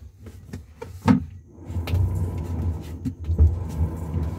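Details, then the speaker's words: LG top-loader washing machine that only spun and didn't wash, after fitting a good splined drive part: deep churning rumble with soft knocks, transmission now turning the agitator normally. "está moviendo ya toda la transmisión mueve toda la transmisión y pues nuestro fresado agarra correctamente en el en nuestra barra"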